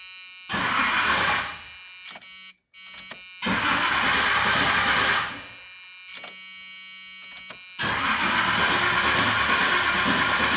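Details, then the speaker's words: 1986 Chevy Suburban C20 with 454 big-block: three firm cranking bursts from a newly installed high-torque mini starter, fitted after a flexplate problem. Cranking is smooth and even with no bangs, grinding or clanks, and the starter engages cleanly and sounds strong. "sound strong doesn't sound terrible"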